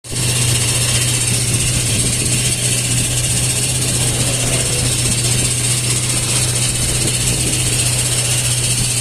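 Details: Toyota 4Runner at idle with slight revving: constant metallic hiss and rasp over the engine from broken aluminium starter housing pieces behind the torque converter; fixed by dropping the transmission, removing the converter and replacing the starter.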